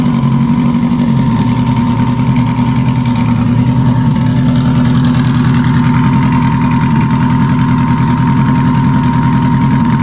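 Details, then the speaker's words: Engine idling on three cylinders with number four not firing (unplugging it changed nothing): rough, choppy, uneven idle; a stuck fuel injector is suspected and is to be bench-tapped to unstick it. "well number four not firing at all i unplugged number four there was no change you can hear how rough it's choppy it's not smooth so it's only running on three cylinders right now"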